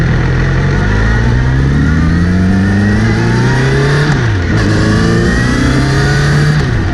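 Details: Kawasaki Z900RS: after cleaning and relubing the chain, a whirring that rises and falls with road speed when accelerating or in gear, seemingly from the front sprocket area; chain clean and tension checked OK, cause unconfirmed.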